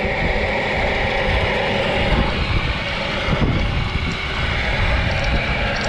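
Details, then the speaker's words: Rebuilt Nissan Tohatsu 9.8 hp two-stroke outboard, new piston rings and new carburetor with mixture not yet set (single air-mix and idle adjusters): busy buzz under wind, not quite settled, then stalls. "And it's stalled. Don't have the carb set exactly right yet."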